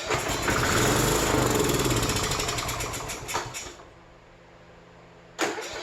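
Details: 2007 Troy-Bilt riding mower after fuel filter change, fuel overflowing from carburetor, choke off: fires with quick rough beat, sags within seconds and dies; fuel delivery problem.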